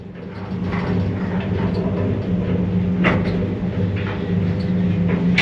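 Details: Mogilev MLM 400 kg passenger elevator, 2004, two-speed main drive, UL station with PU-1 board, after repair: door motor phases swapped so no current flows through its winding during travel. Smooth travel rumble, soft clicks, no hum. Normal elevator car travel.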